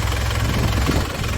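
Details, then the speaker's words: 2002 Isuzu Panther Touring manual turbo diesel with turbo timer, no oil seepage, idling after start: low, steady idle with light, even clatter and no misses or knocks; normal idle. "mesinnya sehat dijamin, sudah ada turbo timernya,"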